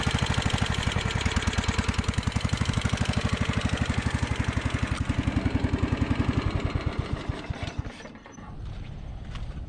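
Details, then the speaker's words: Scotts John Deere riding mower with a replacement carburetor fitted with no gasket: spraying carb cleaner at the carb-to-intake joint bogs the steady low thumping idle, which sags and stumbles, confirming an intake air leak between carburetor and intake. "as you guys can hear it when i spray the carb spray in there uh it's kind of bogging the um [Music] the motor down so we've got an air leak between the carburetor and the uh the intake"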